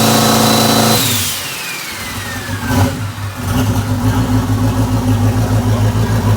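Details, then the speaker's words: Fourth-gen drag car with a newly installed bushing turbo (big T6 housing) and new torque converter: the engine catches, a high whistle winds down, then a steady, even rumble with throttle blips. Normal, healthy turbo engine. "I think that this is gonna work out. It made 6 pounds right there, and that's no timing pull."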